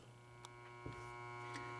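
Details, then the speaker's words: 1973 Williams Space Lab pinball: five-in-a-line relay pulled in, its coil giving a steady low mains-frequency buzz with clean overtones and light clicks; normal relay hum, though its normally closed switch is open and factory solder suspected. "so you can actually hear the relay humming this is the five in a row five in a line relay"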